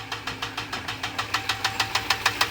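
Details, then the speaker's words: Ram 6.4 L V8 at idle: sharp, even ticking about six per second from one bank, traced by ear and feel to a single failed roller lifter; intake removed and cylinder head coming off. "I can feel it in this lifter go goes down and it's going to pop go pop right there all right we found it it is this one"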